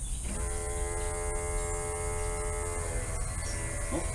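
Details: 1959 Vespa microcar with a supercharged V8, ignition switched on before a start attempt, fuel running front to back. A steady electric hum holds about two seconds and then cuts off. Electric fuel pump priming normally.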